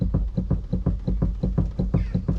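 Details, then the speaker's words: Ford Focus, engine off, steering wheel rocked quickly back and forth: steady dull knocks about four or five a second tracking each movement; owner suspects steering rack, not confirmed, earlier inspection found nothing. "But one thing is for certain, if I quickly and rapidly move this back and forward, you can hear a knocking."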